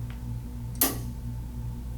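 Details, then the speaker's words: Statim sterilizer during maintenance, with the cassette inserted: one crisp click over a steady low hum as the relays pull in and the micro switch engages the cassette, a normal ready state. "hear the relays clicking in that lets you know that the mat the micro switch is engaging the cassette all systems are go"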